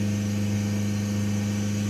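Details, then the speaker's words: Mercedes A-Class diesel with DPF and AdBlue, during hydrogen decarbonising (warning light traced to faulty air flow meter): even idle hum with faint steady turbo whistle, heard after cleaning; normal turbo whistle. "j'entends le turbo sifflet donc ça veut dire que ça a déjà bien nettoyer de ce côté là"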